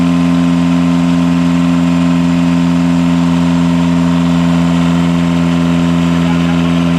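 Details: Small catamaran diesel genset bench-run after fixing two swapped controller wires that had made it run flat out and shut down; dead-steady drone and even low hum, no misses or knocks: normal running.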